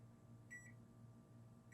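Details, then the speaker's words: iPhone X board after a shorted component was removed: multimeter continuity test gives two short high beeps about a second apart over a quiet hum, showing the component was shorted. "a shorted component. You hear it beeping."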